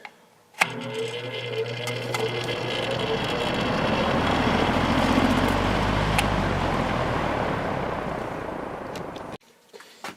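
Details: Repaired fan with all speeds working: steady even whoosh of air with a low motor hum and no rattles or scraping on medium; normal running.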